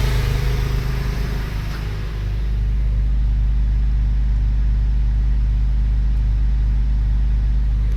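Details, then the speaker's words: Porsche 996 3.4L flat-six after repair: it catches and settles into a deep, steady, even idle with no stumbles. It had misfired badly, like a missing cylinder, because a coil wire was not plugged in properly. Cylinder 6 compression was 85 psi. "Running much better than before now."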